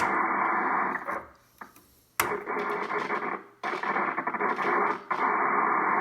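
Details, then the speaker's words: Early Drake R4C tube receiver with 6HS6 mixers, dirty with bad switches, tuning 40 then 20 meters: hiss and tuning chatter come through strongly, dropping briefly as the dial moves; normal shortwave reception. "this is 40 meters yeah everything everything's kind of trashed from the settings along all the switches are bad everything well what about 20 meters sounds like it's working sort of"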